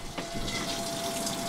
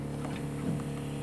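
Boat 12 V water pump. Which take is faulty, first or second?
second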